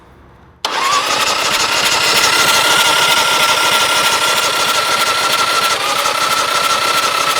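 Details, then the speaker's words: Chopper build first start, engine cranked in neutral with the spark plugs removed after filling the oil tank, run until oil pressure came up and the light went out: a steady, even starter whirr with a faint high hum and no firing. "all right so we ran it until we got oil pressure which is good"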